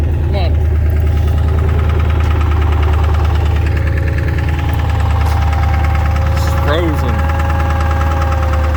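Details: Ford 7.3 diesel truck, very cold start without being plugged in, smoking heavily after starting. Heavy, uneven clatter with a knock-like beat about three per second. Owner suspects gelled fuel. Rough running when cold.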